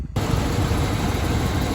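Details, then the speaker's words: 1993 Chevy Silverado 5.7L 350 TBI V8, previously knocking, after new heads, head gaskets and rocker adjustment, coolant not yet bled: steady low idle rumble with even beat and no ticking, knocking or stumbling; runs smoothly, no warning lights. "well it's alive it's running mint everything's working how it should no lights on or anything so not too bad"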